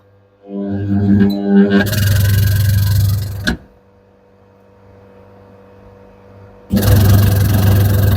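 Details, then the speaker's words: Candy semi-automatic twin-tub washer RTT 21751 WSU 19, 17.5 kg, back cover off: wash motor not rotating, deep steady hum in bursts without spinning up, motor overheating; capacitor not at fault, motor bush getting stuck; stalled motor humming. "you can see the problem is getting stuck motor. See, it's too much heating motor."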